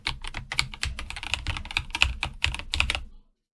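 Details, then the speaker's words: IQUNIX OG80 mechanical keyboard typing compared before and after lubricating the switches: a quick run of soft, muted, even key thocks with no scratch or spring ping, noticeably different from before, and normal. "so now you can hear what it was before and what it is after the lubrication at least you can hear a difference"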